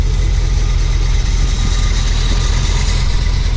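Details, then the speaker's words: Suburban V8 with new bolt-on Evil Energy 600 CFM carburetor, unrun for nearly a week, cold first-hit start, about 6 psi fuel pressure, no leaks: deep, steady, even idle rumble with no hunting or backfire, healthy. "But you see, I mean, it bam, it fire. I cycled it four or five times."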